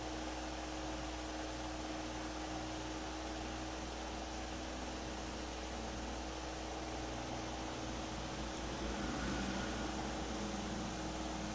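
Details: Electric fan three months after a bushing-to-ball-bearing motor conversion: steady run with a faint humming drone over the air rush, as the new bearing has become a little noisy.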